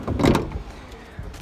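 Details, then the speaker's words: Renault Kangoo (2/3, K9K 1.5 dCi diesel) sliding door after applying anti-squeak: a few soft thuds as the door is rocked, no squeak or creak; door quiet and tight. "антискрип за 40 гривень робить чудеса з вашими здвижними дверками. Все, ляпота."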